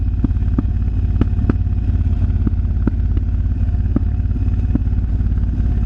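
Steady lumpy V-twin idle with sharp irregular cracks from the exhaust, roughly three a second; exhaust popping, cause not identified.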